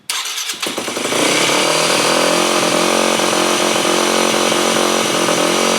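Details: 2008 Yamaha WR250F, first start on choke after carb rebuild and FMF PowerCore slip-on: raised hanging idle and bog off idle; owner first suspected lean running, later found a different cause.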